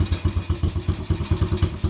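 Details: Quad (ATV) that quit on the trail, sat about a year on old fuel, exhaust just repaired: slow lumpy uneven idle, heavy chuffs about four per second, still smoking; owner says carburetor needs cleaning, possibly valve issue.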